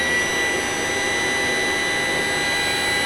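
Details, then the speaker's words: Type 69 tank, generator running after the master switch and electrics are switched on during the start-up sequence: smooth, steady high whine of constant pitch over an even hiss, with no grinding or wobble; generator spinning normally. "hear the generator spinning. And now we can use the power traverse."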